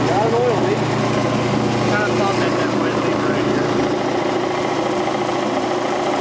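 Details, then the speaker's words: Rebuilt Quincy Model 325 compressor lower end on its test run on the tank with a new starter, oil pressure 18–20 psi: even, steady pumping beat with a low hum and no knock or clatter; running normally. "Alright, got the pump on the tank, got the new starter mounted and wired, and give her the old test run. Oil pressure on 18 to 20 pounds."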